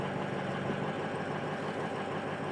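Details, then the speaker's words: 2005 Ford F250 6.0L Powerstroke left idling after the high-pressure oil pump fitting repair to bleed air from the high-pressure oil system: an even, steady diesel idle with no stumble or miss. Normal idle. "all right we're just going to let it idle for a while now and uh let it you know bleed the air out of the there"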